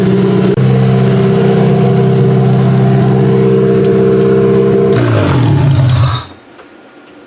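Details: Demolition derby car's first start since end of September (now February) after fitting a computer and fuel lines: catches and holds a steady, even beat for several seconds, then speed sags and it shuts off; healthy first start.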